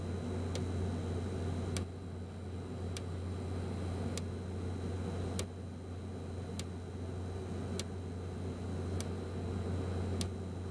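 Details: be quiet! Dark Power 12 1000W power supply after 40–60 minutes of heavy load: sharp internal clicks, singly or in random series with pauses, over a low steady hum; the unit was replaced under RMA and the new one runs fine.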